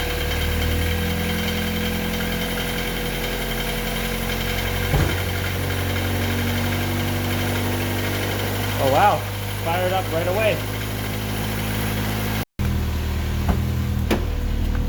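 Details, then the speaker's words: Honda Civic/CRX (EF9/ED7) with a B18B1 swapped in for the D16Y8, first start after repinning the jumper harness: steady, even idle with a smooth low hum and no knocks. No check-engine lights; coolant still bleeding. "and no engine check lights at all either that's awesome"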